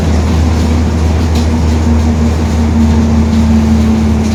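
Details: 2021 Marcopolo Torino S urban bus on Mercedes-Benz OF-1721 BlueTec 5 diesel chassis, extended length, recorded in the cabin while cruising: steady low drone with a constant humming growl on top, the rear differential growling.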